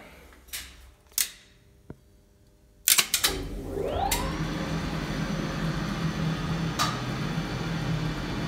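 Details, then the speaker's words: 1962 DAKA elevator (1986 modernisation), after sparking at a normal shutdown: clicks, then the motor surges in with a held-back rising hum as the brake stays closed a few seconds too long, worse going down; a burned brake-rectifier diode was found. "Brake stays closed much longer than it suppose to, after motor starts. You can hear it much better when elevator starts to move in down direction. Much longer, few seconds, than it suppose to. But elevator is working."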